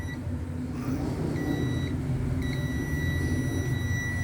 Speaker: ahí se oye como Pita como suena bien Eso no eso nos dice que la línea desde ese Polo desde ese esa punto hasta este punto está continua y no está no está abierta en ningún punto